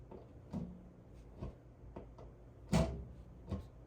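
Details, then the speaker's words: EST Fire Shield fire alarm panel with AC power unplugged and then plugged back in: dull thunks and light clicks in a quiet room as the relay takes a second to switch power sources. Normal power transfer relay switchover. "And now listen for when I plug it in. 3, 2, 1. Hear that thunk? It takes a second to switch back over."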